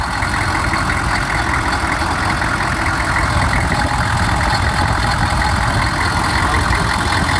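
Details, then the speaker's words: Warm 6.5 turbo diesel with 257,000 miles and some blow-by: a constant gritty grinding rasp over the idle clatter from the belt drive; a bad idler tensioner bearing is suspected, not confirmed. "Sounds like a bad idler bearing. You hear it grinding away? Yeah, something's making a bit of noise."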